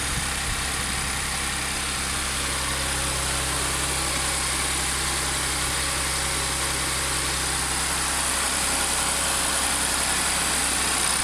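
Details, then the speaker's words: Audi S4 B8 3.0T supercharged V6, first start after repairing a bank 2 P0018 camshaft correlation fault (timing chain had jumped a sprocket); brief initial noise clears as the tensioners fill with oil, then an even, steady idle with a hissy top end, no knocks or ticks; normal idle. "sounds sounds good just wait for it to kick off the high idle and see what it sounds like on the low"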